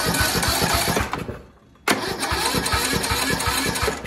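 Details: Craftsman (Sears) tractor single-cylinder engine, battery 12.09 V: the starter spins steadily with about four even compression pulses a second, pauses, and cranks again without catching; crank-no-start caused by a carbon-fouled spark plug, possible head gasket suspected.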